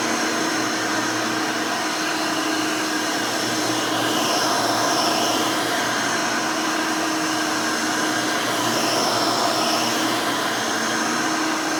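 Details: Rebuilt Hoover Elite 600 upright vacuum, built from parts of several Elites, with a new 7 amp motor and 20-blade fan in place of the original 6 amp: a smooth, steady whine with an airy rush at even pitch and no rattle or grinding. A healthy, fairly quiet motor.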